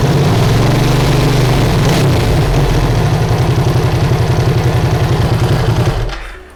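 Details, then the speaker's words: Ducati Hypermotard (1000S/1100S) V-twin just after a timing belt change, started in the garage: lumpy, loping idle with a dry clattery rattle at about four beats a second, then shut off. Normal idle; these engines are naturally noisy. "so everything's fine there i've forgotten how noisy these two guys are up to sound like it sounds like a what they sound like they sound like a tractor"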